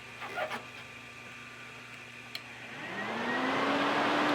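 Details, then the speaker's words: Car cooling fans with ignition on and relay powered but fans dead: when ground is applied with a Power Probe 3, the fans kick in and the whir climbs smoothly to steady speed. The cause was a bad fan ground. "and the fans turn on. So now we determined that the reason the fans were not working was because there was a bad ground, and we applied the ground with this."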